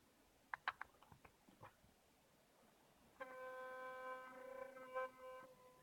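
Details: Philips Sonicare DiamondClean electric toothbrush after gluing loose ring in brush head: a few handling clicks, then clean steady hum with no rattle or buzz; normal running.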